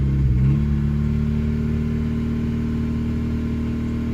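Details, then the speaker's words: 2000 Honda Civic D16Y7 after repeated cranking, no new plugs: engine catches and settles into a steady, even low hum with a firm note around idle, running normally; the start problem is concluded to be the distributor. "all right so i didn't put plugs in it i just kept nussing it and it started so the moral of this story is it is a distributor"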